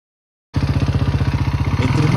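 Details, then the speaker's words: 2006 Honda Rancher 350 4x4 single-cylinder engine: hard clattery beat of about thirteen pulses a second, louder as it revs, with heavy smoke; piston slap from a badly scored piston and worn cylinder, fixed with new cylinder and piston. "acelero, más fuerte se escucha. También soltaba mucho humo. Procedemos a desarmarla. El pistón ya estaba muy rayado. El cilindro también tenía mucho desgaste."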